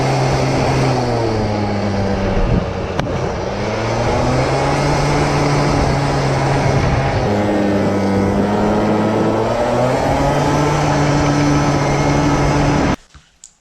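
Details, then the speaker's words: CPI two-stroke scooter with 0.35mm redrilled idle jet: uneven stumbling buzz with wavering revs, misfiring and still a bit rich; owner thinks idle jet still too big; warm engine also sputters at full throttle, main jet to be changed to 62. "is still running a bit rich I think the idle jet is still too big"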